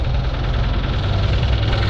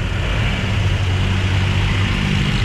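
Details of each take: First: Toyota Wigo, engine noisy after heavy rain when water entered the air cleaner via clogged wiper drainage, heard from underneath: heavy, fast, deep knocking through the idle, loud and constant. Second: Toyota Wigo after repair of an engine that turned noisy when water got into the air cleaner in heavy rain (connecting rod ordered, two-day job), idling while warming up: steady, even low idle with no knocking or ticking, no spitting or smoke; healthy.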